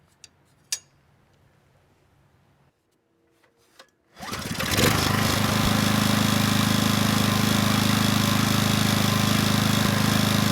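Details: Coleman Powermate Pulse 1850 generator (PM0401850, 1996 engine 93412-0136-01) after carburetor repair and governor adjustment to about 62 Hz; starts then holds a steady even drone without hunting under a space heater load slightly over its 1500 W rating, maintaining 114 V; normal running.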